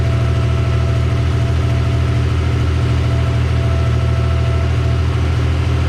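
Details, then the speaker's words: Mazda MX-3 after swap to a JDM KL-ZE 2.5L V6 with a larger 65 mm throttle body, first start: deep, smooth, even idle with steady low rumble, no knocks or stumbles; an early slight miss was traced to a loose wire. "yeah the kale is that he runs and it runs mint first try first try pur's like a kitty"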